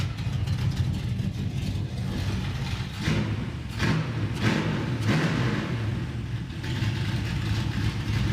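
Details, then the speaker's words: V8 Monte Carlo idling: lumpy with uneven surges and dips about every second. It improves as it warms up but still stumbles; cause not confirmed. Engine stumble at idle. "And this one you said the problem is it has a stumble. That's it. Yeah. Can you fire it up and show me like just Yeah, it'll it'll do it just, you know, idling here."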